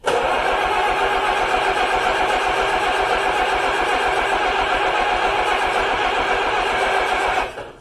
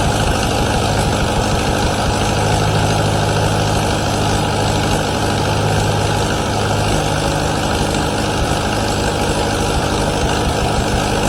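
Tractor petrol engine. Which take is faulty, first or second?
first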